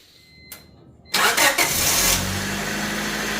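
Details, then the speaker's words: 1994 Honda Civic 1.6L (Acura EL) after distributor O-ring, valve cover gasket and spark plug hole seals replaced: brief crank, quick catch, flare, then steady even idle; normal start and idle. "All right, there you go. Turn it off. Start again. Nice. Perfect."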